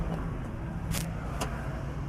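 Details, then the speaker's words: 2016 Chevrolet Tahoe 5.3L no-crank after engine replacement, with electrical problems, battery on charger: two sharp clicks about half a second apart, starter clicks but doesn't crank and voltage drops; no current flow on battery wire, another engine idling nearby. "I wanted to make sure power was going down there to the starter, but said when we press this, you can hear the click and the and the drop."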